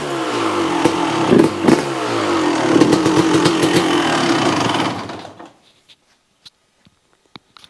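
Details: 1995 Honda CR250 two-stroke revving up and dropping away with a sharp raspy ticking on each pulse from an exhaust leak at the pipe; otherwise the motor sounds reasonably quiet apart from noise from the front; choke was stuck, idle not yet set.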